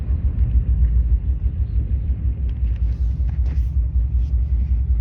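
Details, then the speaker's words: Subaru Legacy bought for $500, rough idle; deep lumpy exhaust rumble while driving, pulsing unevenly about twice a second, a cylinder misfiring; owner expects motor mounts need doing. "Oh, this car sounds so bad."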